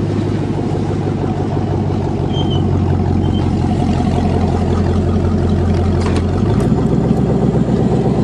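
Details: Cheviac with a sticking throttle: deep, steady low rumble with even beat, no knocks or misses, settling into smooth idle.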